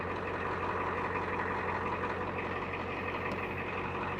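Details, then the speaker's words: 1989 Ford F250 7.3 IDI diesel idling after starting from eight or nine days sitting: even, steady clatter with a deep low drone, no misses or knocks; healthy, smooth idle. "I love this damn truck just listen to this [Applause] thing I ain't started that thing in probably eight or nine days oh it's gorgeous"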